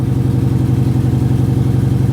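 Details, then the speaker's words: Mercedes GLE 450 with 54,000 miles and check engine light flashing, idle pulsing unevenly with a lumpy beat and occasional stumble; suspected misfire. "is it misfiring it doesn't feel like a misfire to Me Maybe yeah if you listen to it yeah I guess it is"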